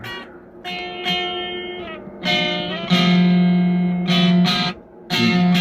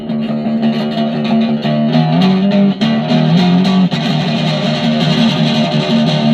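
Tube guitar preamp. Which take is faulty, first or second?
first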